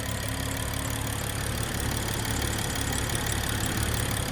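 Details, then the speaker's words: BMW 335i with slowly failing high-pressure fuel pump (fuel-pump codes, emissions issue): fast light ticking over smooth even hum, sewing-machine idle; runs flawless at idle. "But car runs flawless, man. Car runs really flawless. That sewing machine sound, y'all know how that go."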